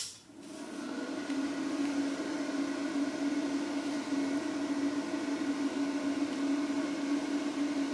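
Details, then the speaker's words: Behringer Europower EP2000 amplifier cooling fan, settled noise about 56 dB: steady airy hum with a constant tone around 250 Hz, no rattle or pitch change; normal cooling fan noise. "all right so that's the Euro Pro settled noise was about uh 56 on this one"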